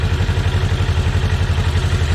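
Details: Segway Villain UTV after primary clutch seal replacement, idling in 10–15°F cold, warmed up and water pump weep hole no longer dripping: fast even idle thump, steady beat, no rattles or misfires, running fine.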